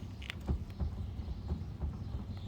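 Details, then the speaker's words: 1990-1996 Nissan 300ZX jacked up, front wheel rocked side to side: dull low clunks in pairs from steering play; no up-down play, wheel bearing fine; highway steering wheel wobble, steering U-joint replaced. "I have a slight clunk if you can hear it so something's going on there"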